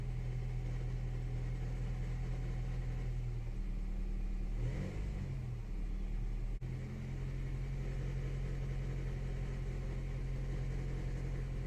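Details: 2014–2015 9th-gen Honda Civic CVT, in Drive on brakes with light throttle at 1300–1500 rpm: low buzzing drone with rough vibration from the serpentine belt/tensioner, gone once warm; belt about 100,000 km, 5–6 years old, worn belt suspected.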